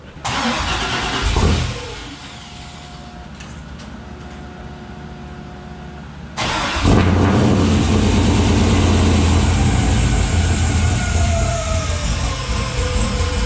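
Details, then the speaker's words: Third-gen car started for the first time after bell housing/transmission reinstall and sitting about a month and a half, using a battery borrowed from a Trans Am: brief crank and catch, pause, then strong steady idle with no misfire; normal start and idle. "it sounds good"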